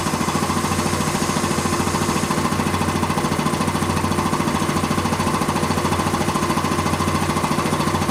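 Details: Quincy 325 air compressor, final test run after a full rebuild with head clean-up and rebuilt valves. Even, rhythmic pumping thump at about 3.5 beats a second with no knocks or clatter. Normal running.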